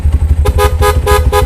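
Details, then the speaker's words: Honda CB100 custom build with horn taken from a GL100, tested over a lumpy kick-started idle (weak dynamo): four quick, evenly pitched toots, strong and healthy; working horn. "Klakson ini dari GL100."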